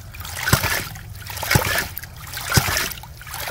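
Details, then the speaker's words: Hydraulic ram pump after waste/check valve washer replacement, cycling steadily with a water slap and thump about once a second and rushing surge between beats; 40 PSI working versus 39 PSI static, so water is flowing through the 80-foot pipe. "it's working at 40 PSI so static pressure is 39 and they're making 40 so one PSI distance that means there's water flowing on the other one going down this pipe 80 feet vertices"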